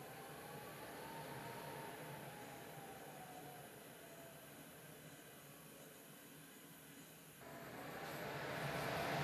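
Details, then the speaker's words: Home AC air handler with a replaced half-horsepower X13 Genteq blower motor; the old one shook, made bad noises, then stopped. During the diagnostic cycle there is a quiet, even airflow hum with a gently falling motor tone, then smooth build: normal running after repair. "it sounds like it sounds good to me"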